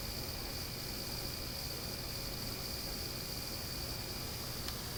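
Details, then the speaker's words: Panasonic TC-P46G25 plasma TV: steady thin high-pitched cricket-like buzz recorded with mic at the back of the set, louder on bright images, faint on dark ones, audible from 7 ft between words when volume is low. "I'm sitting around 7 ft from the TV and I can clearly hear that sound when the volume is is low or between words or between noises you can clearly hear that buzzing sound"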